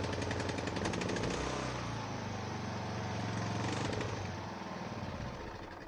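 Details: Ariens 42" geared riding mower, 17.5 hp Briggs & Stratton (31C707), Nikki carburetor, long neglected, restarted indoors, throttle at rabbit, smoking heavily: loud lumpy beat about 3.5 pulses a second, stumbling and sagging; rough running, owner suspects old gas.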